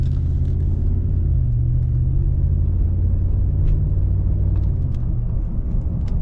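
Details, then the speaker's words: 2009 Dodge Ram 1500 Hemi 2WD driving on a cool 57°F morning with windows up: steady low droning growl under road rumble, no clean tones; front wheel bearing grinding, worse when cold, hub assembly to be replaced. "You hear that? So that's what I heard this morning, man. And it was way worse. That bearing was really cold this morning."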